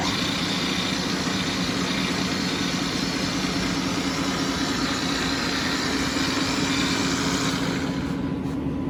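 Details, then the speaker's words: New 2009 Tru-Turn CW61190L 75" x 21' engine lathe, 30 kW 440 V main motor, spindle 3.15–315 RPM, very nice condition: steady even motor hum with smooth spindle whirr, no knocks or grinding; normal running. "It's in very nice condition. I'm gonna turn the motor on. Let's hear it."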